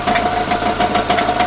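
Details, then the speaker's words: Subaru engine idling, gearbox replaced four months earlier: sharp regular metallic knocks about three per second from inside the engine, changing when crankshaft is pressed; crankshaft play suspected, not confirmed, engine to be torn down. "давили на коленвал по возможности. И звук менялся. Такое ощущение, что люфт коленвала."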